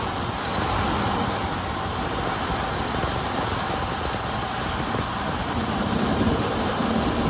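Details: 1978 Ford Bronco Ranger XLT with the 400 V8, first start after sitting 20+ years, on a fresh battery: the engine catches and settles into a steady, even rumble with no miss or knock; running properly.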